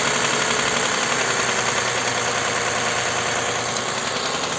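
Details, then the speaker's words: Toyota Highlander U50 3.5 2GR-FKS, 93,000 km, dealer diagnosed hydraulic lifter, owner suspects connecting rod, heard from the oil pan: steady quick light knock about three per second under bright top-end clatter at idle, rising with revs. "Друзья потому что здесь как будто бы стучит уже Шатун когда оборотку поднимаешь сейчас послушаем Давайте вместе с вами"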